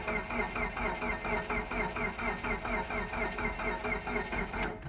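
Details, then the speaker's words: 2012 Mitsubishi Galant with weak used battery, no tach reading while cranking, felt thunk while cranking: laboured, sluggish cranking about twice a second, never catches; too slow, starter and crankshaft position sensor suspected. "It should be turning over a lot faster than that."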